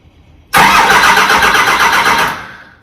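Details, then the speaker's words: Cummins engine swapped into a Humvee, first crank in two years on temporary wiring with no fuel connected: starter spins it freely with even compression pulses, no firing; normal cranking, no start. "oh that sounds good no no I got no fuel going to it I got no fuel going to it so it ain't gonna fire I just want prank"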